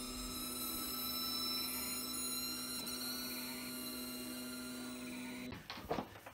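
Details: Creality CR-10 S5 3D printer running a job with a steady, piercing squeal that grew louder over time, from V-slot wheels clamped too tightly against their rail by overtightened eccentric nuts.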